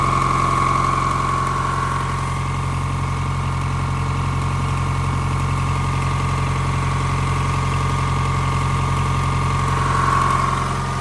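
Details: 2023 Tata bus AC engine started after its E1 and EP faults were cleared and gas filled: steady, even diesel idle with smooth low drone, no knocks or misses; normal idle.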